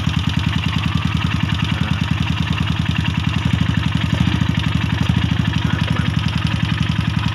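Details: Yamaha SRL 115 FI (Lagenda 115 FI) no-start traced to fuel pump pressure too low for the injector: steady, even single-cylinder thump at idle, no misses or stumbles, running cleanly; normal idle.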